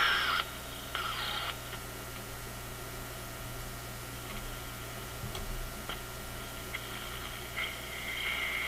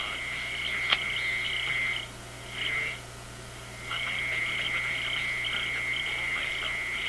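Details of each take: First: Zenith G615 tube radio (chassis 6G05, six tubes, no transformer) at first power-up, no antenna attached: soft hiss with faint whistles and crackles from nearby noise sources; the set appears to be working normally. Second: Zenith G615 tube radio (chassis 6G05), six tubes, no transformer, no antenna, picks up raspy buzzing chatter cutting in and out from an office computer in sleep mode about 20 feet away.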